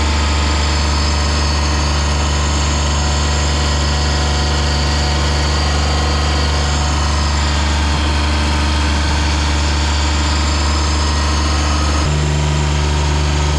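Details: Ransomes Jaguar 4000 diesel commercial mower, 1980s-90s, sat 20-25 years in junkyard, hydraulics rebuilt with new O-rings and seals: steady even diesel drone with deep constant beat, no knocks or misses; running smoothly.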